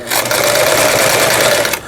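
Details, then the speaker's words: Sister MS350 household sewing machine (made by Brother's sister company, about 30 years old), after full repair of broken motor and bracket that had caused loud noise: fast, even whir with regular needle ticks, starts and stops cleanly, stitching smoothly, normal operation. "각종 기능들 정상적으로 작동되고 있네요. 이분께서는 박음질이라도 제대로 됐으면 좋겠다고 말씀하셨는데 부드럽게 박음질 잘 되고 스타트 잘 되고 있습니다."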